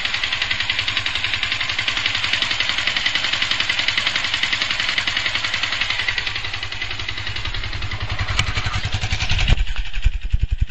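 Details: Yamaha FZ150i at idle: fast uneven metallic clatter, about three or four knocks a second, getting louder daily, with heavy vibration; persisted after overhaul, returned days after engine bearing and primary driven gear replacement; owner suspects valves.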